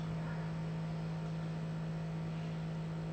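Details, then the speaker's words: Cremer CF1220 vibratory feeders on an XIAC drive board switched from Cremer PWM mode to sine-wave mode at the same amplitude: faint, steady low hum with no buzz. The vibrators are barely audible under pure sine-wave current. "you can hardly hear the vibrators now because they're driven by a pure sine wave. So even though the amplitude is the same as here, you can't hear the vibrators anymore."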